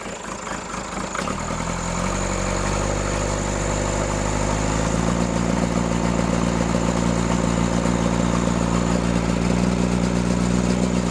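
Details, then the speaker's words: Freshly rebuilt Cummins diesel in Case 1840, new injectors, rebuilt pump timed 12° BTDC: steady run with uneven loping beat near two and a half per second; misfire, balance test suggests cylinders 1 and 2, cause unconfirmed. "Get this RPM back up to where you can notice the misfire the most."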